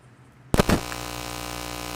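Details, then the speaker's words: DJI Mic 3 wireless mic on best settings (dynamic, auto gain) with a fast charger plugged in: faint hiss and plug-in thumps, then steady mains buzz. The buzz stops when unplugged; regular charging does not cause it. "And you're going to hear buzzing noise. But is the buzzing worse than the DJI Mic 2 system?"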